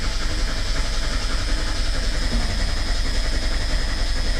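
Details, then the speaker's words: Merkur XR4Ti after starter replacement, TFI module unplugged, battery sat about a month and a half: even steady cranking about 3.5 turns per second, no grinding, 50 psi oil pressure; starter working normally. "all right not bad 50 psi cranking over with a battery that's uh been sitting for about a month and a half"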